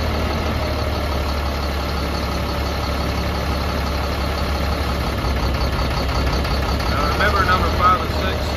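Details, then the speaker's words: Caterpillar C7 diesel in Freightliner M2, rough running with check engine light, manual cutout of cylinders one to six: loose uneven chug changing note as a cylinder drops; all cylinders change equally, injectors working, cause still unconfirmed. "manually cut the cylinders in and out and you'll be able to hear it in the background you're listening for the change every time you cut each cylinder out so far so good"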